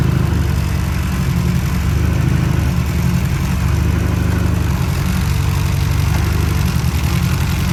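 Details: VW Mk5 Golf with newly built 20VT engine with new rods, on E85 race fuel, first startup: deep even idle, steady low throb, no tapping or misfire; freshly built engine runs smoothly.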